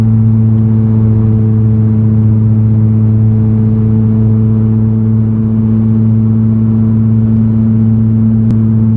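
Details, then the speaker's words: Left rear wheel bearing, suspected from driving and confirmed by spinning the raised wheel, where the noise rises with speed. Steady low droning hum while driving. Worn wheel bearing, and the noise was gone after replacement. "But if you spin it really fast, the noise will be higher, so it is wheel bearing for sure."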